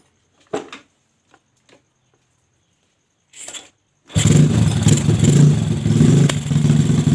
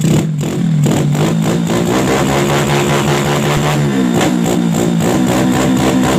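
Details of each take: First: Yamaha Jupiter Z with bore-up engine, new valves and piston, freshly fitted unset PE26 carburetor: fires and revs unevenly, surging and sagging instead of climbing cleanly, bogging as if fuel-starved; suspected carb setting, not confirmed. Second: Yamaha Jupiter Z with bored-up engine and PE 26 carburettor, after widening a carb passage: revs climb and fall cleanly with steady exhaust note, no stumble; previously hesitated on throttle as if fuel-starved, now fuelling properly.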